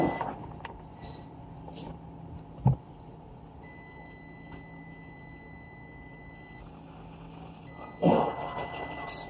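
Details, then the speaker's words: HP EliteBook 840 G4 with no power: multimeter in beep mode on the 5V power rail gives a steady high beep, so the rail is shorted to ground. "beeping as you can hear. That means this power rail short to ground."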